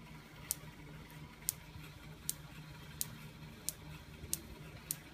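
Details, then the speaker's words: Van de Graaff generator with discharge wand close to dome: crisp snapping sparks about every 0.7 seconds, evenly spaced over faint hum; now sparking consistently, wand about to be moved slightly away. "Okay, now I hear it consistently, so I'm going to move it away just a little bit."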